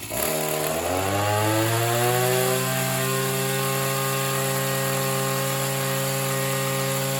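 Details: Oleo Mac BC240 strimmer, assumed 24cc two-stroke, warmed up after spark plug clean: revs climb then flatten to a strained drone, won't rev out; owner suspects a partly blocked in-tank fuel filter.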